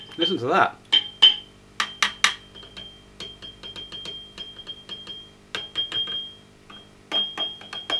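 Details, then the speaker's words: Marshall JCM2000 TSL amp running, tapping the valves gives a glassy high-pitched ring from the speaker: one microphonic preamp valve, its ringing transmitted through the others. "tapping on any of these now produces that microphone this s it's actually this which is the problem"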